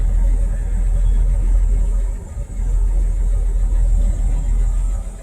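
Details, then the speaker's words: 1978 Ford F100, 300 straight six, four-speed, started in neutral: deep, even rumble right after start-up, no hesitation or misfire, steady six-cylinder idle; engine and transmission judged good. "she sounds good [Music] yeah overall i think it's all right"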